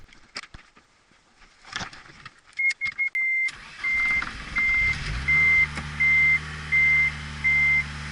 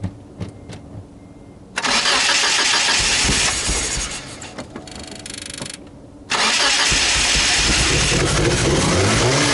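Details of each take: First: Car whose injectors had clogged, after sorting the injectors: brief crank, catches at once, smooth even idle with chime beeping; normal start, idle speed control motor still bad. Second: Mitsubishi Galant engine with RC 550 injectors cranks and catches with a rough roar, sags, then fires unevenly and won't stay running; massive vacuum leak, after owner first suspected the MAF translator setting.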